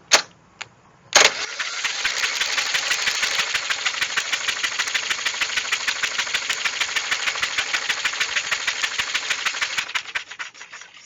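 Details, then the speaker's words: Snapper mower, 12.5 hp Briggs & Stratton, sitting for years: plug out, the starter turns it in labored chuffs about three per second. The engine is tight with a jammed governor, soaked in PB Blaster to free it up; turning somewhat better. "but it is she's she's trying. I had the plug back out of it trying to free it up some more."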